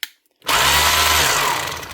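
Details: Makita HR2450 SDS drill in hammer-only mode after repairing a burnt-out motor with a new armature (517375-5): sudden start into a steady, fast, even hammering buzz with no grinding or catching; hammer action healthy.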